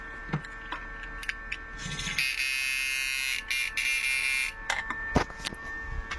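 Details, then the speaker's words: Fish shocker inverter with used original parts tested at frequency 0 with a 500 load, buzzer attached; it sounds fairly loud and is expected to quieten when removed. Loud shrill steady tone amid bench clicks: normal buzzer output. "Ini suaranya kan agak keras. Coba kita lepas. Pasti suaranya juga ikut pelan."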